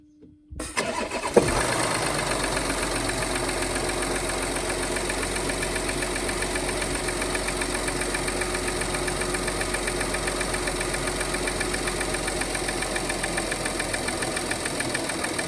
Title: Audi Q7 3.0TDI (180 kw) 2013 engine knocking (solved)